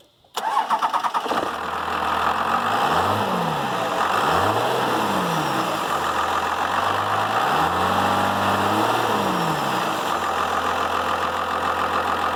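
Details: Dodge Ram Cummins diesel farm truck after removing the turbo silencer ring: a brief crank catches cleanly and settles to an even diesel idle with a louder turbo whoosh on top; sounds healthy.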